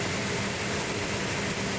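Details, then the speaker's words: Car under restoration started after distributor setup with no primer fuel and choke held, ignition being advanced; steady, even engine note with smooth low hum, no knocks or misses, sounds healthy right after starting. "Sounds healthy. What? Sounds healthy. What?"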